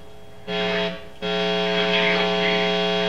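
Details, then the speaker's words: Kit Telecaster guitar through amp, came in picking up AM radio; low steady buzzing hum cuts in, drops out briefly, then holds constant; a ground issue in the guitar wiring. "okay well you hear that we've got a ground issues"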